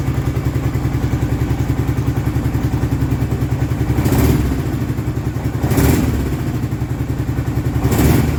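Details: Kawasaki Prairie 650 ATV after rebuild, coolant and fan refitted, just started and still warming up: even, low thumping idle with a few louder swells. The earlier rattling and clicking are absent; it runs normally.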